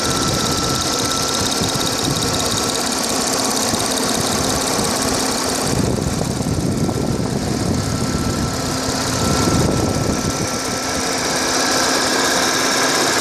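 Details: Audi A6 4F 3.0 TFSI stationary at idle, phone held over the engine from above: light irregular ticking about three or four per second over a steady idle; source not identified.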